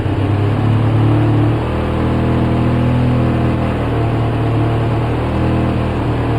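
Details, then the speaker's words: 2004 Polaris Sportsman 700 twin after about 10 minutes running with Seafoam in the fuel: low, uneven beat with wavering pitch, holding idle only on choke and dying with choke off; carb screws loose or missing. "See that? Well, you take the choke off and it's over."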